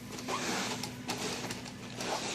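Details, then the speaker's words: E-Revo brushless: a constant low hum with squeaks and chirps from the ESC's cooling fan bearing. It still whines after cleaning with WD-40 and relubricating with sewing machine oil, so it needs a new fan. "First of all, if you hear that funny humming noise, that's actually the ESC fan. It's just whining away in there."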